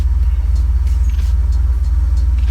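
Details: Grey-market Mercedes that would not start despite starting fluid and air cleaner on or off, now started after heavy cranking: a deep, even low rumble with a steady pulse and no stumbles or misses. Normal idle.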